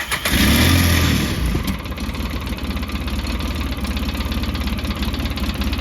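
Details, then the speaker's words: 2007 Polaris Ranger 700 idling low at about 950 rpm after a TPS adjustment. A brief rev settles into an uneven chugging idle that stumbles almost like a misfire. RPM is lower than wanted and needs adjusting. "you can hear it's kind of almost sounds like it's misfiring it's a little bit lower RPM I think than I want it"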